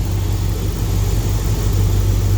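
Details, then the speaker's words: Spare 5.9 Magnum V8 just installed in a high-mileage flatbed truck, near operating temperature for the first time: deep, even idle, lifters now quiet, injectors audible over mechanical noise; running smooth, no knocks or misses. "the lifters finally quieted themselves down i mean i can hear the injectors firing over the mechanical noise the engine makes so i'm happy this thing's running smooth"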